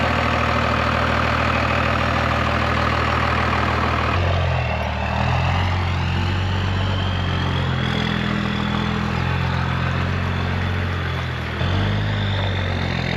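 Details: 12-valve 6BT Cummins diesel swapped into a squarebody Chevy Suburban; steady low clatter at idle with even firing and a slight speed change partway, no knocks or odd noises; sounds healthy.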